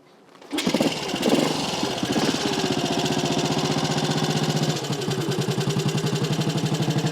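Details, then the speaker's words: Small classic Tiger Cub single, cold, still bedding in after work. Catches quickly and settles to an even, steady thump at tickover with no knocks; much better than before; normal idle. "but that's a cold engine it ticks over pretty well really so it's a lot better than it was before"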